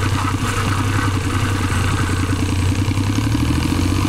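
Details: Suzuki Celerio at steady idle with a light, rapid clatter riding over it; friction noise from the gearbox, cause unclear.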